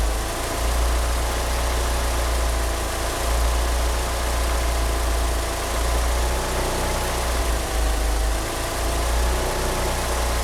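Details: Car fitted with 850cc injectors idling roughly: a deep, uneven lumpy throb swelling and sagging about every second. It won't rev up, with a slipping power-steering pump belt. Rough idle, cause unconfirmed.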